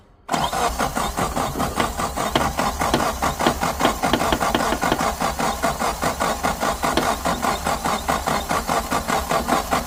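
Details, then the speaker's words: Suzuki Samurai cranking steadily for ten seconds without catching after a new 4–7 psi inline electric fuel pump was fitted. The pump hums but moves no fuel up; fuel filter suspected plugged. Crank no-start from fuel starvation. "It's still humming away down here, but we are not moving any fuel up here. So we're gonna take this apart here. Maybe that fuel filter there is plugged up."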